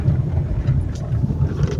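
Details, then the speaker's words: Fiat Argo driving on cobblestones after replacing front suspension joints (articuladores): steady low road rumble, no knocks or clunks, customer's suspension noise eliminated. "Aí, ó, silenciosinho, não bate nada, ó."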